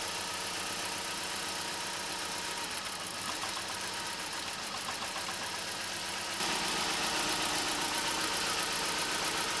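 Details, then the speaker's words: Vauxhall/Opel Corsa C petrol engine at idle with a steady, slightly uneven pulse from a single-cylinder misfire. Unplugging injectors one at a time identified cylinder 3; possible causes are a faulty or clogged injector, spark plug or coil pack. "a quick and easy way to test which cylinder is causing your misfire is by unplugging each one of the injectors on the engine and testing which one doesn't affect the running of the engine"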